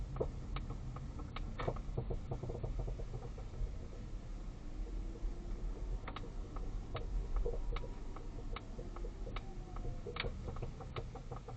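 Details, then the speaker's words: Polestar 2 driving and turning, after four attempted repairs and new redesigned strut bearings with no change: sharp irregular clicks, knocking and faint squeaks over low road rumble, audible turning right; suspension squeaking and clicking while driving. "I'm just doing a little drive so you can hear the suspension noise in my car CL audible when turning right obviously I'm turning left at the moment hear that squeaking a is knocking and clicking noises squeaking as well"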